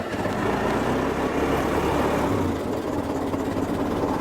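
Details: 1917 Ford Model T just started with spark retarded, a little throttle and choke, buzzing trembler coils: steady loping low putter, even firing, no knocking or clatter; normal idle.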